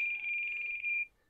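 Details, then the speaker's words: E-Flite Turbo Timber Evolution RC plane transmitter at switch-off: one clear high-pitched beep of about a second, then silence; low battery warning, transmitter battery getting pretty low. "transmitter was not happy with the state of that battery it's getting pretty low"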